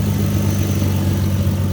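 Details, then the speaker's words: 2005 Ford Mustang 4.0 V6 after replacing the catalytic converters and exhaust, muffler found clogged: a smooth, even low idle with no bogging, ticking or exhaust chuff. A minor exhaust-pipe leak may have been tightened. "now it's idling pretty good it's not bogging down doesn't sound too bad"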